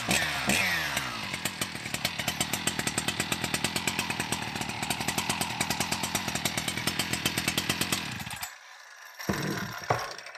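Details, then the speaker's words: New stock Husqvarna 61 chainsaw, fitted with a new oil pump, baseline before dyno runs: crisp, even two-stroke crackle with steady rapid pulses and no misses before it shuts off; normal running. "But for now, just going to fire it off stock, listen to it purr, and get some baseline runs on the dyno."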